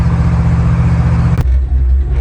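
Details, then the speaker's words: 1968 Ford F100 with a 1993 F-150 Lightning 351 fuel-injected V8 and overdrive transmission, earlier fuel-starved on the left side: steady cruise at about 65 mph, even drone with no popping, misses or stumbles; running smooth. "we're running about 65 right now seems to be good and smooth it's not popped didn't do any smoking"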